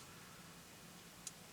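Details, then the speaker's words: 2003 Chevrolet Corvette Z06 (C5), key on, column lock commanded from a Tech2 scan tool: one crisp click in a quiet cabin as the relay changes state. "States change can also hear the relay change States and unlock you do not see the column feedback change you do not see the column lock State change and you do not hear the actuator change"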